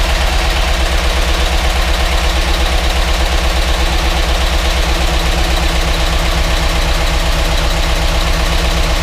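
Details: GMC Yukon Denali 6.2L LS V8 after reassembly for the DOD problem, first start in cold weather with oil pressure: steady idle with fast light ticking in time with the engine; hydraulic lifters possibly not yet filled with oil.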